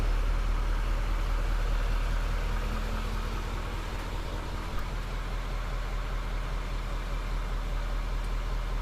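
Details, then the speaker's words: 620,000-mile GM L5P Duramax 6.6L diesel truck during maintenance, just restarted after fuel filter change and priming: smooth steady low idle rumble with an even unbroken beat, "purrs like a kitten"; normal diesel idle. "Crank it up. Purrs like a kitten."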